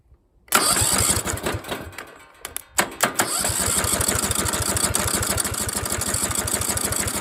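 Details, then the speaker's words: Briggs & Stratton single-cylinder engine with good compression, started for the first time after fitting a coil taken from a parts engine: a pull-start, a stumble, then a steady, even putter with no misses or knocks. "come on she runs she runs I would just like to hear it run a little longer though"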